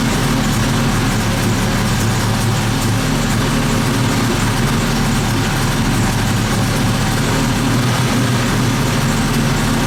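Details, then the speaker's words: 1958 Jaguar XK150 open two-seater roadster under restoration, just started cold: steady, even idle held a little high with a low rumble and no misses, as the automatic choke raises revs when cold; cold fast idle, normal. "this is on an automatic choke there's no choke on this as such automatic um so it is a bit higher revvy when it first starts up when it's cold"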